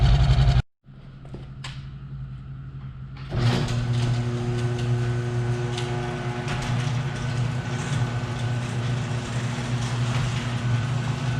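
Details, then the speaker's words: 1966 Ford Bronco, revived after years sitting, exhaust leak underneath: low, uneven, loping idle that doesn't settle; plug check shows cylinders 3 and 6 dead, carb and timing not dialed in. "i was pulling plugs and three and six decided that they're not doing anything and they're not really compensating much so we'll look into that a little bit"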